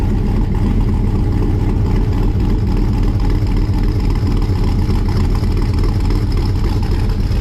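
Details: 1955 Chevrolet Bel Air four-door with an LM7 5.3 LS V8 and Comp Thumpr cam, not yet tuned, cold start: deep, loping idle with a steady uneven chop from the cam, no knocks or ticks; sounds healthy.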